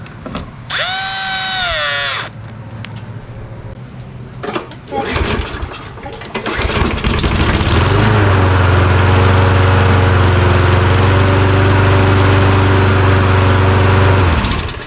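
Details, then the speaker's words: Toro Recycler self-propelled mower that sat 3 years, after carburetor cleaning: engine runs with a steady hum, but a fast regular ratcheting about four per second rides over it; sounds like something stripped, plastic drive pinion gears worn. "Yeah, sounds like something stripped out in there, so let's get this apart. Plastic gears are just a little bit wore off."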